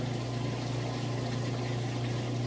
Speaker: so letting you listen to that you can hear drain it all out no problem then it's gonna spin and fill back up